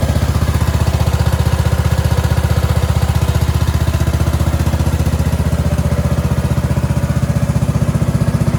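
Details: Cub Cadet 2146 lawn tractor, 14 hp Linamar single-cylinder, sat 3 years, after choke repair; steady even thump at fast idle, regular firing, no misses or knocks. Normal running, though fuel leaks from the rotten carburetor bowl.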